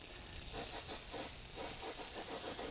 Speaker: And what you want to do is run them until you don't hear that popping and bubbling sound, because that says it's clearing the air out of the lines. So you hear that noise. That's some air that's coming to that sprinkler head, and the line is still filling up with water.